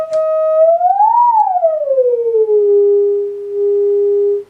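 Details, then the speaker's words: Fender Vibro Champ guitar amp after power transformer fault diagnosis, new 750-ohm 6V6 bias resistor, fed from audio generator with tremolo on: clean test tone sliding up then settling low with even pulsing wobble, no hum or crackle; amp working. "Alright, just hooked up my audio generator. You can already hear the audio kind of bleeding through a little bit. There's the output. Tremolo's on."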